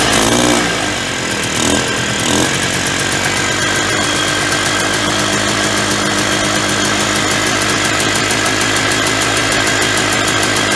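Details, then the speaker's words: 1991 Polaris Trail Boss two-stroke, stored 28 years in a chicken coop, first start on gas poured into the carburetor; fires after a few cranks, settles into steady crisp ring-ding idle about four beats a second, smoking, oil injection apparently working; normal idle. "yeah fired right up all I do was just put some gas right in the carburetor there and seems to be smoking enough"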